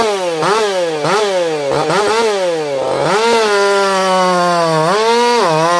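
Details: Echo CS4910 chainsaw with experimental taper-top piston/crank swap, ported for open crank, running a little warm, compression about 180 psi cold, 170 warm; loud buzzing pitch sags as chain bites and jumps back on release, revving hard and clean.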